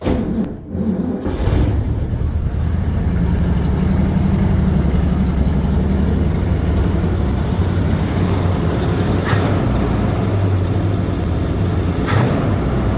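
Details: Ford Bronco after carburetor rebuild and fuel system reassembly, heard from the back: deep even V8 rumble at steady idle, no misfire or stumble; normal running.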